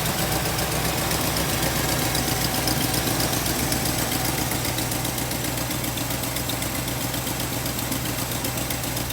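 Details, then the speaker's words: Mercedes-Benz R107 380SL after new distributor cap and rotor arm, meant to fix cutting out when changing gears at idle: steady, even, smooth idle, no knock or misfire, better than the earlier knocking before warm-up. "this car now sounds so much better than it did before."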